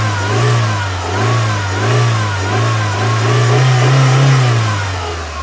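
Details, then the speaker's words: Mitsubishi Shogun/Pajero Pinin iO, unmoved for about three years (slipping clutch), started with a booster pack. A smooth, even note rises and falls with light throttle blips, with no stumble or miss. Normal revving. "Okay, so it's running well. In fact, there's no misfire, nothing. It's running really, really nicely."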